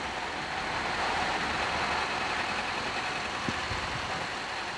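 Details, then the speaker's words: Suzuki Carry after repair of a torn fan blade and a clogged radiator, which caused overheating, shaking and poor acceleration (only 60 km/h). Running on petrol, it idles with a steady, even hum and no knocks, misses or surging. Normal idle. "ยนต์ก็เดินประมาณนี้นะครับรอบมีมั้ยไม่มีรอบนะครับอ้าไม่มีรอบเราก็ฟังเสียงเอาแล้วกันนะครับฟังเสียงเอาแล้วกันนะครับว่าเดินนิ่งขนาดไหนนะครับ"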